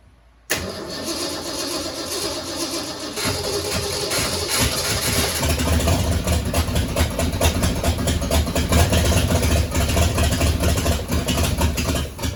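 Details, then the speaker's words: 1967 Mustang C-code, 289 V8 with four-speed, newly bought project; after replacing the clicking starter solenoid, the engine cranks steadily and sputters but never idles. No fuel is coming up to the carburetor, so the owner suspects a bad fuel pump. "not getting no gas out of the uh out of this though it should have had gas by now so I'm thinking fuel pump's bad yeah there's no fuel coming up"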